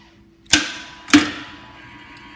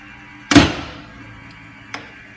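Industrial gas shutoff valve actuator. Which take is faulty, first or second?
second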